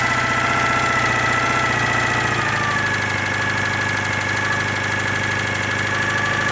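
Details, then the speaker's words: Citroën 2CV with Burton 652cc upgrade (new pistons and barrels) after engine overhaul: flat-twin revving with bare rattly mechanical clatter, running without its cooling fan; oil seepage seen at oil cooler union. "That's what a 2CV sounds like when it hasn't got its cooling fan."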